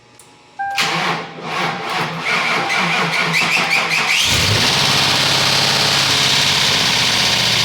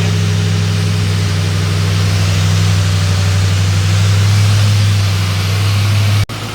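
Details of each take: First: 2004 Ford Crown Victoria 4.6L 2V after timing chain replacement, starting on booster pack: cranks, catches, settles to busy even idle; owner reports a hard knock that comes and goes on startup despite oil pressure, cause unknown. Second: Ford 4.6L 2V after timing chain replacement with Cloyes set, warm after about 10 minutes running: steady, even low idle rumble with no ticking or rattling; engine now runs smooth and quiet.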